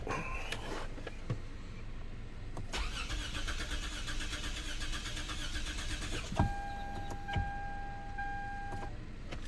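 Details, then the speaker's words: 2006 Lexus GS300 3.0L after an engine and wiring harness swap, codes P0351–P0356 with all coils not firing: starter cranks at an even rhythm for several seconds and never catches; crank, no start, no spark. "first of all i don't like how the engine sound when it cranks no start"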